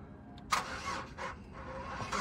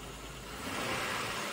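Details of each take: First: Flood-damaged non-run Chevrolet Impala: sluggish, dragging crank with hesitant turns as voltage drops, then catches and settles to idle once the booster pack shows 14 V; weak, nearly dead battery. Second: Chevrolet Impala, 37k miles, flood-damaged, marked non-runner and not started in a long time, with uneven cranking: short, steady run with no misses, knocks or stumbles under a light hiss; smooth normal idle, not revved.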